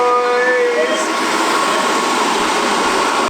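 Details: School bus windshield defroster, two blower motors wired to one working switch on a 20 A fuse, ignition in accessory mode: steady rush of air with a light motor hum, running properly; the previously dead motor now blows harder.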